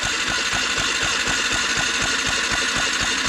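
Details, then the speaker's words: Yamaha MT 125 motorcycle being revived after a fatal crash, fuel pump heard priming, spark plug out for testing: starter spins the engine in steady pulses, about four a second, but it never fires; cranks with no spark, fuses checked next. "no spark cranks but no spark"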